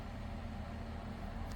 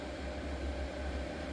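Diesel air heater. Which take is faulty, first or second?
first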